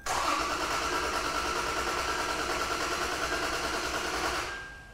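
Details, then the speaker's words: Toyota 4Runner 4.0L, about 150,000 miles, P0016 case, timing verified: engine cranks without firing at a steady, even speed with faint starter whine; cranking sounds consistent, though cylinder five reads a hair low on compression, with no misfire codes set. "that felt like it sounded like it was pretty consistent"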